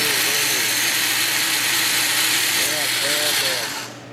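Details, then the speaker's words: 1997 car that has killed two starters, each spinning really slow: a steady, sluggish crank that never gains speed and cuts off after about four seconds; the battery is good and strong but the starter is weak. "Oh, man, we got a good strong battery and a really lousy starter."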